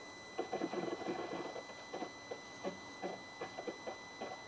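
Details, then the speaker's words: Flood-damaged Mercedes with a rebuilt engine, in-tank fuel pump just reconnected and priming with ignition on: quiet irregular gurgles and bubbling over a faint pump hum as fuel arrives at the filter. "right so I can just hear that pumping the fuel away now coming up to the filter here"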